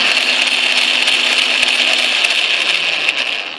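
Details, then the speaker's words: Atlas/Craftsman QC42 lathe gear train after setting gear lash via loose shifter index plate, running in reverse: high hissy steady gear whir with faint irregular ticks; gear mesh noise remains, bushing not yet installed, owner expects noise to improve. "now I'm convinced when I get the brushing in here and this is holding Center better some of my noise will impro"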